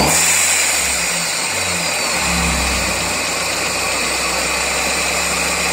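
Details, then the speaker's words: 1999 Miata at idle on all 4 cylinders, briefly revved: light tapping that grows louder with revs; began after track sessions, unchanged after valve lash set to spec and oil change, loudest above the #4 spark plug. "this is with all 4 cylinders running. Hear that tapping right there? And if I rev it,"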